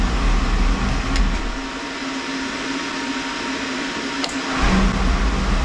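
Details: Oil burner after blower motor replacement, control reset following tripping: steady fan roar with an even low hum through the whole run, no trips or surging; burner fires and runs normally.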